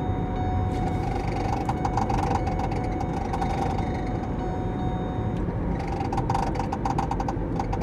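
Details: 2013 Ford Mustang dashboard: irregular bursts of fine clicking and ticking over a low cabin hum from behind the dash; cause unknown.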